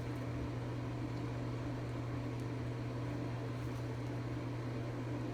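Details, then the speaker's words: Craftsman 196.205690 welder: steady low hum and buzz with none of the usual bacon crackle, not getting hot enough, poor penetration; cause unknown. "not really any better you can probably hear it there's none of that bacon crackle it's just it's a more like a buzzing she's not getting hot enough"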